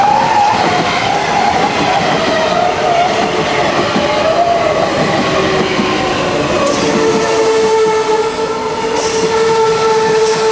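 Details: M100 metro train braking on disc brakes, used because the rheostatic brakes had problems, squeals with a wavering high tone that settles into a steady, piercing whistle as it slows.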